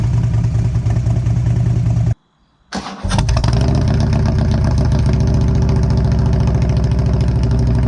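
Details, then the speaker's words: 2011 Harley-Davidson CVO Road Glide after catalytic converter gutted, mufflers already without baffles: cranks, catches and settles into a loud, loping unmuffled V-twin idle. "well it's certainly loud"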